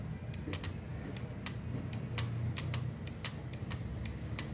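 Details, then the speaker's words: Microwave oven relay bench test with 12 V applied to the coil: sharp irregular clicks over a low mains-like buzz as it pulls in and releases the circuit; relay working properly. "Ela tem que fazer isso, olha só. Tá vendo? Aqui é como se tivesse o circuito estivesse jogando os 12 volts por relé E quando joga, ele se arma e libera o circuito por aqui, ó."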